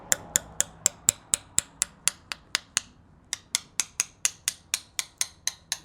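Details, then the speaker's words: Coin tap test along a carbon bicycle handlebar after a crash: crisp taps at about four a second, each ringing with the same clear pitch wherever tapped, no visible crack, so no crack detected. "as you can hear there the tone is completely the same no matter where i'm tapping at obviously there's no visual crack that i can see here so i wouldn't expect that"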